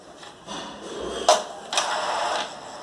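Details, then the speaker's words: Epson L210/L310/L355 printer after reseating the jammed carriage firmly against the chassis: start-up initialization runs smoothly with short motor whirs and two crisp clicks, no grinding, carriage positions correctly. "y va a ser el trabajo correctamente baba inicializar sea posicionarse correctamente y ya está se posicionó ya está correcta"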